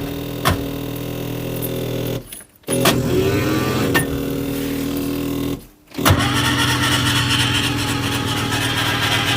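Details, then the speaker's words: Skoda Estelle 120 fitted with a 1.8 16V Rover K-series engine, left unused for a year: a quick, even starter whirr spinning the engine with no firing, stopping and restarting twice, cranked to check valve movement; metal pieces were later seen inside. "I'll crank it over see if they move if it'll crank over won't need anything other than just fuel pump"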